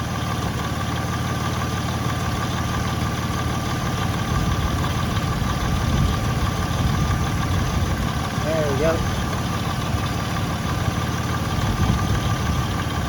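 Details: 2006 Ford Freestar 4.2L after power steering pump replacement and bleeding, fluid level corrected: steady idle while the wheel is turned, no pump whine or groan; power steering normal.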